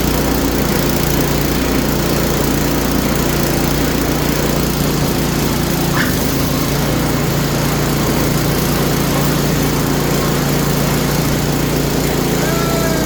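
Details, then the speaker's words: Small Craftsman snowblower after new belt and gear lube added, about 10° outside: smooth constant engine drone with no squeal or rubbing; squeak gone, running normal. "All right, no more squeaky. All right, fantastic."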